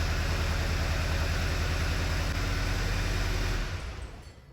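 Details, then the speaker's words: 2009 VW Eos 2.0T, 144,000 miles, flashing check engine light: rough, lumpy idle with uneven low thump about three times a second, cylinder 3 misfire counter climbing, proven to be a faulty ignition coil. "well now as we see right away Cinder number three is counting up"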